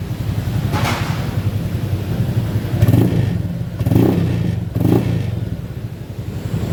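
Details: Honda Beat FI scooter on centre stand: hesitation up to 40 km/h, short uneven stuttering revs; fuel pressure 45 psi at idle is normal (40–50 psi), yet stutter persists; TPS sensor and fuel pump filter being checked.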